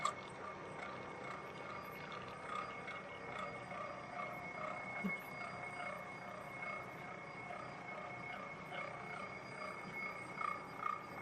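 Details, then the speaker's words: Hobbing machine cutting a 127-tooth gear: slow steady cutting chatter with bell-like ringing from the gear and an occasional faint vibratory buzz, no hard hits; hobbing runs normally. "It doesn't uh I'm not hearing any uh any signs of hard hits, but occasionally there's a little bit of a vibratory buzz and you can hear the the chatter of the cutting process and that's just the way it is."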